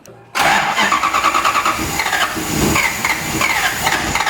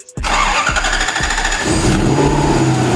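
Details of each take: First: Lexus IS200 with swapped 1UZ V8, first start attempt on ECU Master ECU, 25 PSI fuel, 24 ms cranking injection: starter cranks rapid and rough without catching, battery flat; weak battery cranking. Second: Lexus IS200 with swapped 1UZ V8 on ECU Master ECU and harness, first start: quick crank, engine catches and settles into steady even idle; ignition timing still to be set (33 degrees); normal engine start.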